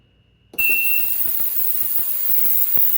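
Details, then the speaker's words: Ultrasonic cleaner starting a three-minute cleaning run: short beep, then steady even high hiss with faint light ticking; owner says it's really not that loud and wouldn't mind sitting beside it; normal operation. "again it's really not that loud I mean I I actually sit over here for the most part on my lab and and I wouldn't mind sitting in here"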